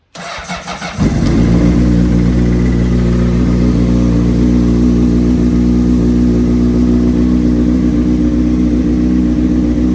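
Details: 2003 Honda CBR600RR with a Yoshimura slip-on, sitting about three years, cold-started on a charged jump box. After a brief crank it catches at once and settles into a strong, even fast idle with no hesitation: a healthy start.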